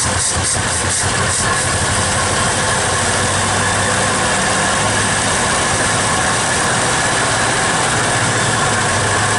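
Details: 1961 Studebaker Champ truck being revived: a steady, even idle with a smooth low rumble and no knocks or misses. Idle may be set slightly higher; some water pump noise was mentioned. Normal idle.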